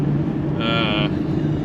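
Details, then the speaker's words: Convertible cruising at about 52 mph: steady rushing cabin roar with a brief hissing whistle, wind noise coming from the front corner of the top seal. "The wind noise in here is not great. It's awful. Yeah, but it's definitely like coming from the front of the top."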